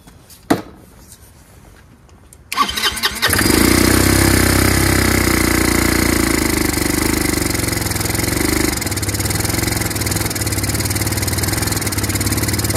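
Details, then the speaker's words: Chinese GY6 150cc scooter with new replacement carburetor: won't start unless primed with starting fluid; single cylinder catches and runs with an uneven, rough note, stalls when hand leaves the intake; suspected carburetor fuel fault. "it's actually not going to start unless you prime it or give it some uh help you know with uh starter fluid no it's not going to start"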